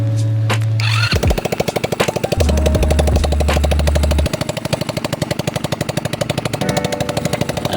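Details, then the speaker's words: Rusi Gala 125 after crankshaft replacement (rod damaged, possibly from past oil starvation), with new gaskets, first start without the exhaust fitted to check for smoke: loud, rapid, even popping beat settling into a steady, healthy idle. "Yan, bali wala pang tambucho yan, hindi pa nakakabit, para matesting ko muna kung mag-uusok ba o hindi."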